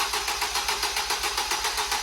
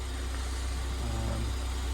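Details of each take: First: Fire-damaged Ford Fiesta ST 215 being rebuilt, first start attempt: quick even starter whirr with no firing at all. The engine turns freely but won't start because the petrol had been drained out; they plan to add a gallon and retry. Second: Fire-damaged Ford Fiesta ST 215 rebuild: a low, even idle hum with no misses, ticks or hunting. The engine is settled and idling properly.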